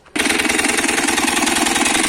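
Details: Italika DM200 motorcycle engine clatters harshly at idle with a fast metallic rattle; the fault is a damaged crankshaft bearing and crankcase.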